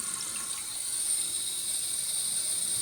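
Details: Toilet tank refilling after the broken fill valve was replaced: a steady, even hiss of water with no sputtering or gurgling; the new fill valve refills normally and shuts off with no leaks.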